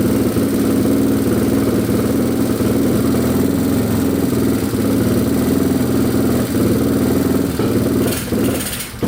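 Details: Yamaha TTR230 single, first run after carburetor float repair and oil fill: fast, steady but with irregular sharp pops, a lean misfire from an intake boot air leak; owner first suspected an exhaust leak.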